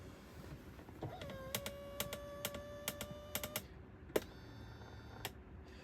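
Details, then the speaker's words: Tesla Model 3 power driver's seat: short, squeaky mid-high creaks in a broken series as the seat moves up, but not when it moves back and forth. Recalibration didn't help; Tesla ordered a motor, but the owner suspects the frame. "so you can hear that and I've recalibrated the seats it didn't help uh Tesla ordered the electric motor but I don't think that's the electric motor because when you go back and forth you don't hear it but when it goes up I think it's the frame or something"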